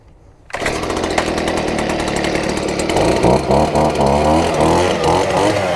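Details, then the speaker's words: Stihl BG50 handheld gas blower: engine catches after a second, settles into smooth even two-stroke buzz with steady fan rush; normal running. "So, everything sounds good, guys."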